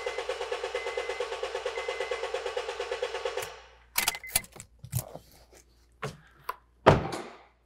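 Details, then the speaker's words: 2013 Honda Fit 1.5L with P0303 dead-cylinder misfire, cranking with injector fuse pulled for relative compression test: even, steady chuffing crank rhythm about eight beats a second, no skipped beats; compression relatively even, a few cylinders slightly higher, so injector problem pursued. "it sounded pretty good let's see what we got so looking at our pattern here it looks pretty good and there's a few that are a little higher than the others but that relatively looks good for compression"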